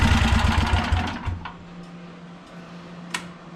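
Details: 1982 Snapper Comet riding mower, electric-start 30-inch cut, 8HP Tecumseh single-cylinder, choked: fast rough putter falters and dies within a second dropping off full speed; runs only at full throttle, carb needs tuning.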